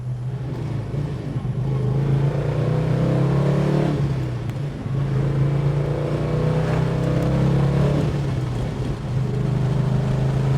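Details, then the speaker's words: 1969 Dodge Charger R/T, 440 four-barrel V8, four-speed manual, 27 miles since full restoration, heard from the passenger seat getting up to speed on the main road: deep even drone pulling smoothly, no knocks or misses; normal acceleration. "pulls well feels good really really great piece of Americana"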